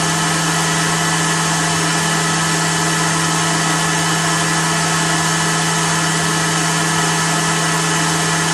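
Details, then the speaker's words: BMW E39 EV conversion blower, newly bracketed, run: steady, even whirr with constant tone, no wobble or rattle, sucking and blowing well; normal healthy blower running. "well you got a pretty good idol this thing is making noise it's sucking and blowing and see if the motor likes it"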